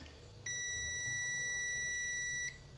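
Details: Samsung UA32EH4000 LED TV that is completely dead with no standby light: a rectifier diode tested in continuity buzzer mode. A steady beep holds about two seconds, then stops, so this diode isn't shorted.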